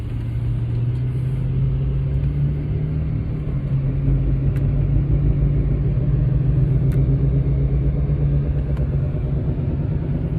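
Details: 2008 Mercedes-Benz CL550 (W216) at cruising speed: deep, steady drone with a slow wobble over road rumble, following wheel rotation, tone changing in left turns, with cabin vibration; passenger-side rear wheel bearing suspected; droning hum.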